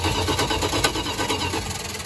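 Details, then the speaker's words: 1974 Dodge B300 Minnie Winnie with a 360 V8, parked 27 years. Starter spins the engine in quick, even pulses with no firing. No spark at the plug while the coil positive has power; apparently no ground signal. "Not showing any spark to that spark plug. So I've got power on the positive side of the coil."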